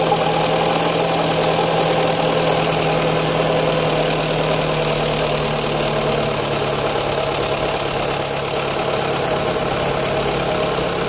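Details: 1.8 petrol Fiat Stilo at cold start: busy, uneven ticking clatter over a steady low hum at idle; strange engine noise, cause unknown.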